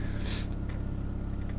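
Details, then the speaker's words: GSX car after sitting about a month, warm idle with AFR 14.6–15.1: smooth, settled idle hum with a steady low beat and no knocking or hunting; idle has calmed down and sounds really nice. "idle's calmed back down idling at 14 6 to 15 1 back and forth on the afr"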